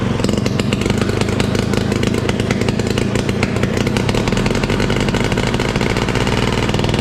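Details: 1968 Ski-Doo Super Alpine with Rotax 370 opposed two-stroke, muffler removed, on choke: unmuffled crackle at one fixed speed that never picks up revs. Fuel starvation from expensive fuel lines that wouldn't let it pull enough fuel.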